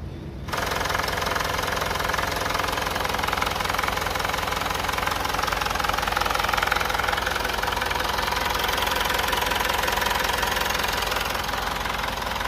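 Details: Mitsubishi Outlander diesel idling after resealing the leaking sump, cracked exhaust manifold still to be replaced: even idle with usual light clatter and steady rhythm, no timing-case rattle; leak fixed.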